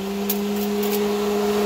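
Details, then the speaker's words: Polaris Ranger UTV cab heater blower, owner-installed under the dash in a cubby, switch on with key on; steady even hum, no ticks or scraping, puts out plenty of air and heat: normal blower operation. "And that thing puts out quite a bit of air, quite a bit of heat."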